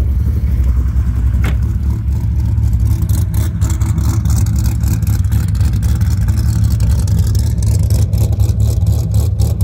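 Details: Rebuilt Dodge Viper V10 after final assembly, with a K&N intake: a deep, steady rumble holding even without stumbles or mechanical clatter. The engine sounds healthy.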